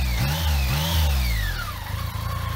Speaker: so there you have it yes the source of the wine is coming from this very shaft and the way it is connected to the crank